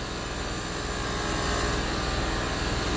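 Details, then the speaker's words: Land Rover Discovery 3 with a newly fitted air suspension compressor (new mount and relay; old dryer was clogged): steady, fast pumping drone at about four beats per second, building slightly as it raises the car slowly; normal operation. "slow but it is going up"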